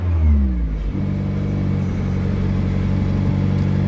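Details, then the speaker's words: 2016 Mazda MX-5 (ND), 35,700 miles, Copart salvage with blown airbags: quick crank, catches immediately, settles into smooth even idle; no engine warning lights, sounds healthy. "like i said fires right up start real quick"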